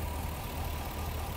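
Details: 2009 Chevy Express V8 with code P0300: one bank of four coils is dead from lost coil power. The idle is lumpy and uneven with a loping shake.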